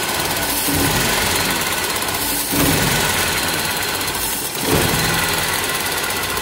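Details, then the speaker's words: Toyota Soluna petrol engine stumbles and sputters when throttle is blipped, running rough (pincang/brebet) with blub-blub exhaust; spark plug wires suspected as the cause, replaced as the fix. "nah ini ya ini kita bisa ee dengarkan untuk mesinnya ini e pincang ya ini ketika kita gas Dia ee kerasa ngebreerebet gitu"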